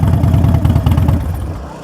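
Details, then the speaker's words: Motorcycle at a Copart auction idling: deep, loud lumpy V-twin thump with even firing pulses through open pipes, then winding down at shutoff, runs great. The brake pedal is bent and twisted, and the bike is presumed to have gone down on that side. "Man, it runs great. Sounds amazing. Sounds amazing."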